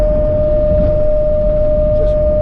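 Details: Camper van with newly fitted Thule roof rack, at speed: loud steady pure howl around 600 Hz over road rumble, wind whistling across the rack bars; described as horrible high-frequency vibration.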